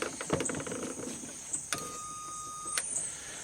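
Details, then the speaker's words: Ryobi 18V One+ 4-gallon battery backpack sprayer: pump motor whines steadily for about a second between switch clicks but nothing sprays; inlet filter screen clean, internal clog uncertain. "but now it won't spray when I turn them on I can hear the whining of the of the motor"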